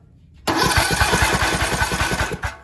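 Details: Craftsman riding tractor, single-cylinder engine, cranking over but not starting: quick, even cranking chuffs with no catch. There is spark, but the spark plug is carbon-fouled. Crank but no start from a fouled spark plug.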